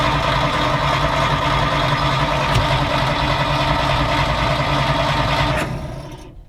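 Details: 1940s Dodge army truck that sat over 30 years, spark confirmed at the points and fuel heard squirting from the accelerator pump: even starter churning about three beats a second, then stops without catching; cranks, no start; timing or clogged exhaust suspected, not confirmed.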